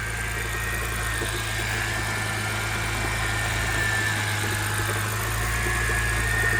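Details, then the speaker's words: BMW E90 first start after motor swap, possible air in system: idles with slightly uneven beat, a little misfire, and faint thin high tone over it; with clutch pushed in, suspected idler pulley in belt drive, unconfirmed. "little bit of a misfire hey push the clutch in okay it sound like it's like a b idol pulley or something"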